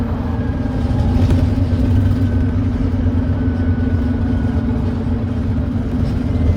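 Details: First Glasgow Volvo B9TL Wright Eclipse Gemini bus (SF09 LDV, 37744), Volvo D9B 9.3L Euro 4 engine uprated to Euro 6, ZF Ecolife 6-speed gearbox, pulling hard uphill with a raspy, puffing drone and thrash under load; exhaust leak.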